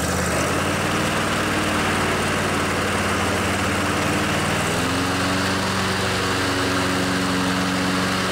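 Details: Craftsman DYS 4500 riding mower, 24 HP Briggs & Stratton Intek twin, after storage and a full service with the fuel tank cleaned and the carburetor refilled. Steady, even hum that steps up smoothly in speed partway through, no misses or knocks; running healthy.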